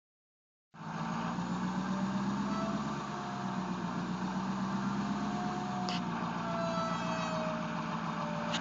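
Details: 2011 Ford 6.7L Powerstroke diesel pickup running with a steady whine over the engine rumble; the whine seems to come from somewhere underneath, not the tailpipe; cause unknown.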